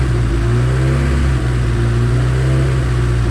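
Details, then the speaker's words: High-compression Honda D16Z6 build, warming up after valve lash adjustment: deep, even idle with no ticking. The earlier loud valvetrain noise is gone and it now runs smoothly. "anyway it sounds a lot better than it did it was it was pretty noisy a lot of valve chain noise it sounds very smooth right now should be uh pretty good"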